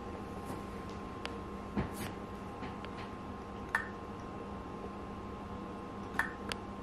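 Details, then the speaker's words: Acer Nitro 5 laptop hard drive at power-on, faint irregular sharp clicks every second or two over a quiet hum; drive not detected ("not bootable device"), failing drive head unable to seek. "и сначала послушайте как жесткий диск при включении компьютера издает посторонние звуки который сдавать он не должен"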